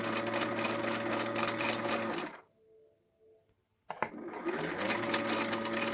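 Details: Janome 2030QDC computerized sewing machine after lubrication: even, smooth needle rhythm at about two strokes a second, stops then restarts cleanly, no rattle or bind; normal running.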